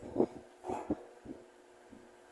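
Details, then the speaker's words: Mallory TS 40 electric fan: quiet and strong at speed 3, but at speed 2 a low motor hum with irregular soft thumps and knocks; noise occurs only at speed 2, cause unclear, oscillation slightly shaky. "no dois começa o barulho então só faz esse barulho na velocidade dois"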